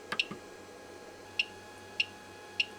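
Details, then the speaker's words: Used Monoprice Maker Select V2 3D printer (Prusa i3 clone) during preheat and extrusion test: sharp dry clicks about every 0.6 s over faint hum as filament enters the extruder but won't advance and stays unmelted; jammed hot end. "I can get the filament to start going into the extruder, but then it won't go any further."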